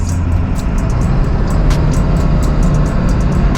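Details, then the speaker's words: 2001 Ford F-550 XLT 7.3L Powerstroke diesel idling after new OEM exhaust manifold gaskets and BD stainless up-pipes: deep even clatter, no more ticking from leaking manifolds, normal; faint music. "yeah this is [Music] nice she is running silky smooth like B there is zero exhaust leaks now inside the cab I'm happy we did that job"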